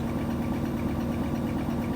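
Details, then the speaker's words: Whirlpool SCW1112WH washing machine on Quick Wash 30 spin: steady, even drone with a low hum and no thumping or wobble; normal spin with a balanced load and no vibration. "No vibration, because it's a Whirlpool, and I like my Whirlpools like I like my men."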